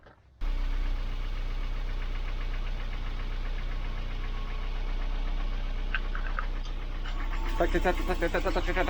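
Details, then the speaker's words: Volvo 940 Turbo B230 after head gasket replacement, while bleeding the cooling system: rough low idle with a steady rapid knocking about four a second. The noise was present before the repair; cause unknown. "whatever man noisy engine he was doing that noise before so i don't know what it is"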